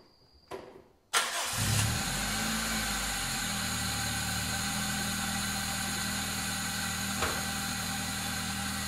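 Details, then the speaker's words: 2001 Toyota Corolla AE112, 7A-FE engine with 5-speed manual, first start after gearbox, clutch and rear main seal replacement for a crunching gearbox under load: quick crank, clean catch, smooth idle with a deep bass exhaust burble and no knocks. Healthy start and idle. "it's got a nice it's got a nice bubble at the back it's just got a really nice bass sound this exhaust it's not a tinny you know shitty four-cylinder it cause it sounds good"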